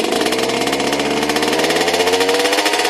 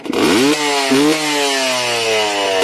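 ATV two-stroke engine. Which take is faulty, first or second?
first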